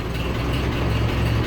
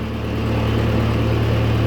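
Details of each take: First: 1940s Ford tractor started without priming, filming from in front of the tractor: settles into a steady, even low idle with no knocks or misses. Oil pressure is coming up as it fills, with no oil slinging anywhere. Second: 1940s Ford tractor engine, cold, after carburetor adjustments: a quick, steady, even idle well above a normal slow tickover, so the idle is set too high. It is charging, shows only 30 psi oil pressure cold, and is not smoking or burning oil.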